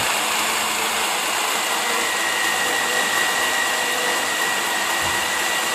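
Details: 1998 Chevy S10 4.3 V6 with 310,000+ miles, running after replacing the melted belt tensioner, idler pulley and serpentine belt: steady, even whir with a faint high whistle and no squeal, chirp or slap; accessory drive running normally.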